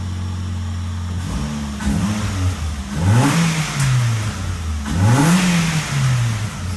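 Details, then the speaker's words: Ford Focus after resealing a gasket with self-tapping bolts: engine blips cleanly up and back to a steady idle with no stumble. Normal revving; idles better than at any time since the issue. "never sounded this good or idled like this since we had this little issue"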